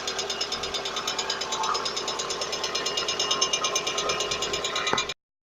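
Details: VAZ (Lada) engine: light, fast metallic ticking at about three per second over a steady engine note, typical of noisy hydraulic valve lifters. Hydraulic lifter tapping.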